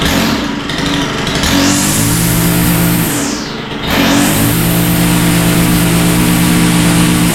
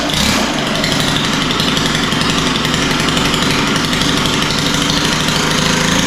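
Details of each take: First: Stihl FS91R four-stroke line trimmer that started but wouldn't take throttle, after carburetor work: revs cleanly up and down twice, pitch climbing smoothly; runs well now, seems idling too rich, needs adjustment. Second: Stihl FS91R four-stroke line trimmer that starts but won't take throttle: fast, steady buzzing idle with a heavy, blubbery edge. It seems to idle rich, and idle speed had to be raised; the low-speed adjustment is being tuned.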